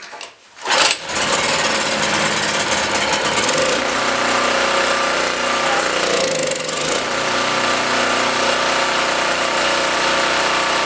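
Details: Blue Max Gen4000B generator, sat for years, carburetor replaced and gaskets tightened against air leaks; fires and runs busy on full choke, won't stay running otherwise; owner suspects too much air.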